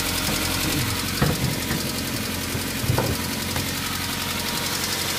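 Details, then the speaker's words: Daihatsu Xenia engine after rebuild, warm: rough, busy idle with a light, fast ticking over the engine that doesn't go away; likely valve lifters (tappets) not returned to original positions, leaving incorrect clearance. "Oh, bunyinya masih seperti itu meskipun cuacanya panas. Jadi , jika kondisi seperti itu terjadi setelah perbaikan mesin dan terdengar kasar, penyebab yang paling mungkin adalah pengangkat katup, atau tappet katup tidak dipasang kembali ke tempat asalnya."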